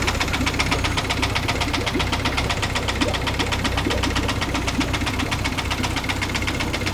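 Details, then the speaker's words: Nearly new Yamaha F70A outboard that began knocking after a full-speed reverse shift, run without the lower unit and with an oil pressure gauge fitted: steady metallic knock about two per second; the gearcase held emulsion, its shaft binds and a nut was found loose. "Такая работа мотора. Исходит какой-то непонятный стук из двигателя Запуск без редуктора."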